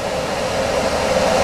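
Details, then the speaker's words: Home HVAC unit that blew hot air on cool, after a part was replaced with a sequencer, thermostat on cool: strong, steady air rush with even hum, refrigerant flow audible, no rattle or surging; blower motor running normally. "you can hear the refrigerant flowing hopefully you can old camera and there's a blower motor with"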